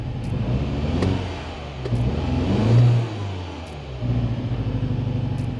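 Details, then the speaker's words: Rough-running, misfiring MINI Countryman petrol engine, old car; check engine light flashes when driving, lost a lot of power; uneven stumbling low thrum with loping revs. "yeah so i'm not sure if that's coming through in the video but it's definitely running rough"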